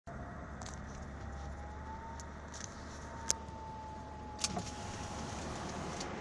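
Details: Mercedes 320 CDI diesel driving: faint steady whistle over road noise, drifting slightly with speed; whistle appeared about 5 minutes into driving, vanished, returned after 40 minutes; oil change didn't help; turbo later needed both impellers, shaft and bearings replaced.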